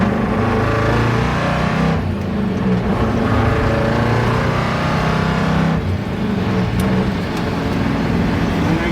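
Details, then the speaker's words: 1962 Corvette with glass-pack exhaust cruising on the highway through the gears after shop work; runs and drives as expected for its age. Deep even exhaust rumble holding steady through gear changes, no knocks or misses: healthy V8 cruising. "you can just hear it cruising down the road. And as we said before, this is pretty much what you would have expected from a 1962 Corvette. It runs nice, goes down the road nice"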